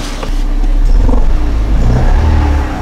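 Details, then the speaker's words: 2006 Suzuki Forenza waste-spark ignition, hard cold start with flashing check engine light: engine revving in neutral with an uneven, stumbling pulse, still misfiring on rev-up; weak spark from one coil. "on the rev up, we still have a miss. Hear it?"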